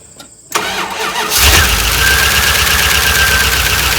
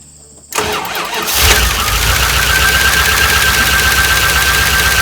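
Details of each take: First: 1988 Dodge Ram W150 4x4 with TBI, first start of year after long without battery, weak battery, gasoline with touch of oil added; steady fast cranking about three turns a second without settling; ECU learn cycle expected; long crank, no start. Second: 1988 Dodge Ram W150 4x4 with TBI fuel injection, first start of the year. It catches after a short crank and settles into a steady, even idle with a faint whine, which the owner says is normal for this engine.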